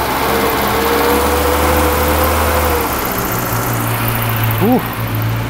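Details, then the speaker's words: Classic Mini Clubman campervan, first start after a burst fuel tank, pressurizing the tank to feed the pump: slightly lumpy uneven idle but mechanically sweet, no taps or bangs; rough idle. "it's running a bit lumpy but it sounds sweet mechanically there's no taps or bangs or anything"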